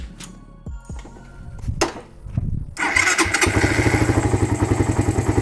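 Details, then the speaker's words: Suzuki Satria FU single fitted with a PWL/PE28 carburetor, stock intake, air filter not yet installed: the starter churns briefly, then it fires on the first try and settles into a steady, even idle with no misses before the mixture is adjusted. Normal start and idle. "Oke ini hidupnya enak ya Sekali starter langsung hidup"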